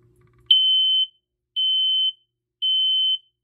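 Three even, high-pitched beeps about half a second long, roughly one per second, in a quiet room: a normal smoke alarm horn test.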